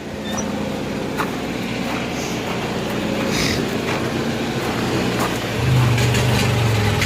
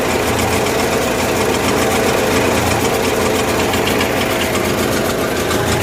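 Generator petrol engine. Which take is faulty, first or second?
second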